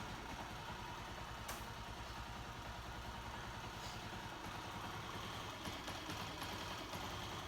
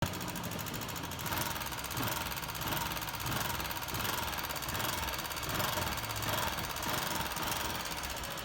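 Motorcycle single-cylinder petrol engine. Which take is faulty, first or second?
second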